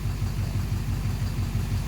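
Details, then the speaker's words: 2009 Chevrolet Duramax LMM diesel dually, cold morning startup at idle: deep, even knock about four to five times a second; first thought an exhaust leak, injector knock or cracked flex-plate suspected, not confirmed. "Morning startup. That doesn't sound good. Yeah, now you hear the knock."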